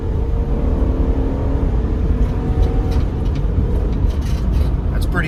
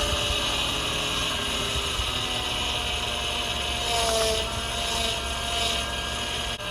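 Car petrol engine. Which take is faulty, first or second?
second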